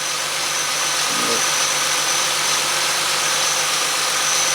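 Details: 2005 Ford Mustang 4.0 L idling after repairing bad cam sensor connector (had misfire, rough idle, P0340/P1336): steady idle under heavy hiss, no stumble or skip; crank and cam signals now clean, fixed.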